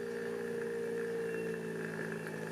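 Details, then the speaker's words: Knockoff Pierburg BMW electric water pump: faint steady hum with higher whine dropping away as PWM duty cycle is turned down toward about 10%; variable speed working normally. "did you hear that? It's running slower and slower and slower and slower and slower all the way down to a point where you won't be able to hear it anymore."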